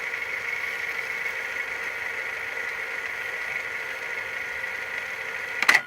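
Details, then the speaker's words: Hitachi VT-FX695A VCR after greasing idler gears, fast-forwarding a damaged tape: steady high whir from the tape transport at one unchanging pitch; fast-forward runs at a single slow speed. "let me just fast-forward this and you know fastball down in one speed and it's really slow it's just as fast as the eighties VCRs"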